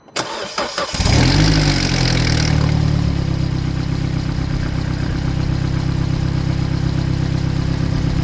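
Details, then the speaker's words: Vauxhall Corsa D 1.4 started after an oil and filter service: settles to a fast idle with a loud raspy puffing roar underneath; exhaust blowing at the flexi pipe, owner plans to fit a full exhaust. "Yeah, it's going to blow on the flexi. That's another going to be another video probably."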